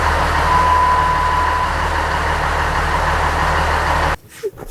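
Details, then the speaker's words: Dodge Ram 2500 with rebuilt 5.9 Cummins diesel, first start after the rebuild with air still in the fuel lines: catches and settles into a steady, even rumble for about four seconds, then shuts off; normal start and run. "so the truck seems to run pretty decent i'd like to let it run a little bit longer to let all the air get out of the fuel lines"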